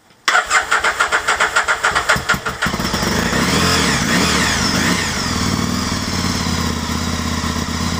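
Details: 2003 Aprilia Tuono after a temporary fix to a corroded fuel pump connector: quick rhythmic cranking, fires and settles into an uneven, wavering idle; rough running, apparent fuelling issues.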